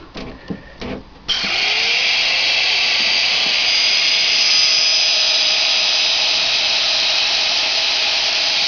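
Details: Precise CNC router spindle (45,000 RPM, 1/2 HP, 5.6 A): a few light taps, then it spins up quickly to a smooth, steady high-pitched whine. It is running healthy.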